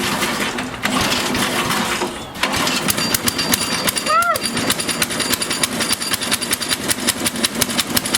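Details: Small single-cylinder engine whose muffler glowed cherry red from running lean, after richening the fuel mixture: catches and settles into a quick, even popping run with no misses or stumbles; sounds healthy.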